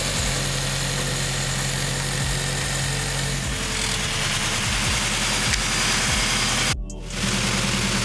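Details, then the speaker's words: Toyota GR86 after GJP IO Box flex fuel and oil pressure install, warming up after first start, checking for leaks: steady even idle hum, no misses or knocks under loud music; healthy. "So we're basically just gonna let the car warm up, get up the temperature, make sure there's no leaks, and take it for a drive, and keep you guys posted."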